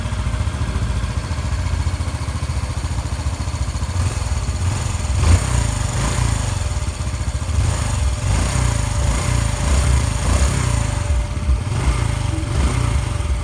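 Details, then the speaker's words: Honda Biz 125 (stated as 2013 or 2015) after an engine rebuild for connecting rod play: a smooth, even single-cylinder idle with no knocks or ticks, running quietly. "bem caladinho de acelerar funcionamento perfeitamente sem bater nada"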